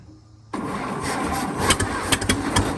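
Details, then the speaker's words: 1922 International truck, unrun for 30+ years, valve freed with PB Blaster and heat, timing just adjusted: uneven, laboured chugging at about three to four beats a second as the aged starter drags and sticks; slow cranking. "come on old girl come on come on the starter's still stuck come on okay come on"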